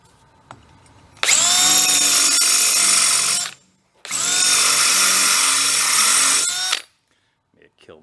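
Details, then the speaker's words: Drilling out a broken exhaust manifold stud with a drill stuck at full speed: two runs of a piercing, steady high-pitched screech over the drill motor, the bit almost through. The bit squeals and burns up from excessive speed; slower is wanted. "It's almost through, and I'm on the apex of the speed. Want to be slower. You can hear the high pitching"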